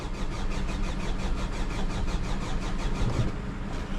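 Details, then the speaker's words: 2011 Hyundai Sonata crank no start after tapping on the fuel pump: steady starter churning at about five beats a second, never firing; the pump gets power but builds no fuel pressure, a failed pump. "It shows it's on, it's lighting up, but fuel pressure is not being built."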